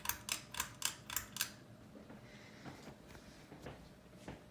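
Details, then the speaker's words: Hunter Augusta III ceiling fan, mid-2000s model, kitchen install, on low speed: a few light clicks, then faint even hum with no wobble, rubbing or rattle; quiet, smooth normal running. "So it's a really good fan though. It's the quietest fan in the house, and it moves a really good amount of air."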